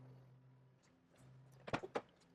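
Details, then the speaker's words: 2GR-FE V6 swapped into Toyota MR2 SW20, warmed from 68 °C coolant to near operating temperature, O2 sensor ports still open: low steady hum with no skipping beats at warm idle, clunks of handling near end; earlier misfire gone. "all right so we're for Less up to temperature our miss is gone so all right well miss fire is gone"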